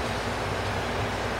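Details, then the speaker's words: Fender DeVille 212 tube guitar amp, all controls down except master turned up with the original power tube fitted: loud steady hum with hiss; suspected cathode or filament-to-cathode short in that power tube. "must have some kind of cathode or filament to cathode short or something but you hear the hum"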